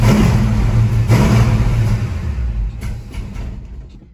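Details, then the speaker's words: Ford Mustang Mach 1, warm, bigger coil fitted: catches and revs briefly, then sags and dies within four seconds; overlong vacuum-advance screw touching and shorting the points as the advance moves when warm. "she doesn't want to run it seems better with this coil but something else is still going on"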